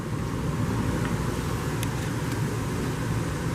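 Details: 2021 Forest River Flagstaff Super Lite 26FKBS travel trailer, rooftop air conditioner running, heard from inside near the thermostat: steady, even low hum and fan rush with no knocks, rattles or surging; normal running.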